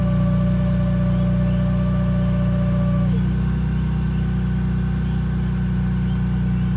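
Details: BMW E46 M3 at idle with clutch pedal up: steady high whine over a smooth idle that drops away after a few seconds while the idle carries on; source unconfirmed.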